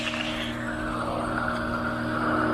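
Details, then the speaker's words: Pool pump being reprimed after losing prime, suction line slowly cracked open to let air in; steady drone with low hum and shifting rush as air is sucked through, risking loss of prime if too much air. "Kind of making a little bit of noise, it's sucking the air through."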